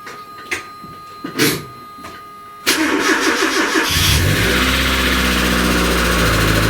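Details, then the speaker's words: 1999 Nissan Sentra GXE Limited Edition, sat for a while, first winter start at 30 degrees outside: after a few quiet seconds the starter cranks briefly, engine catches at once and settles to a steady, even idle; healthy cold start. "It is 30 degrees outside right now, and this car's been sitting for a while. It'll be fun to start it up and see how she starts in cold weather."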